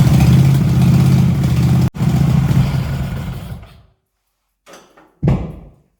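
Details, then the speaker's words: Racing mower engine after valve adjustment, fitted with 34 mm performance carburetors and new air filter/exhaust, choppy at first: pulls well with slow throttle but bogs and stumbles at full throttle; running lean, bigger jet planned. "What I learned is when I throttle it slowly, it's really good. When I give it full throttle, it bugs down, which means that it doesn't get enough fuel compared to the air."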